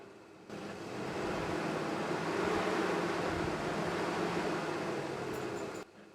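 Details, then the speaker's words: Mazda Tribute with the ignition on: the radiator cooling fan whooshes on, swells and wavers, then cuts out abruptly, hunting erratically; a PWM squeal was heard as the motor slowed, and the scan tool showed a remote keyless entry fault. "so at the moment the fan is on constantly but if we wait long enough it'll cut in and out"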